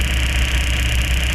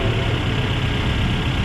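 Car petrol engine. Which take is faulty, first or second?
first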